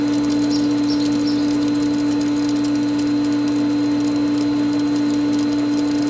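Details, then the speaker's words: Pool pump re-priming after the skimmer valves are opened following winterization, valve now fully open: steady, even hum with a light water hiss and no surging or rattle; quieter once primed, though some air is still passing. Normal pump running. "let's give her some more like all the way more and there we go now we're moving and the pump is quieter even"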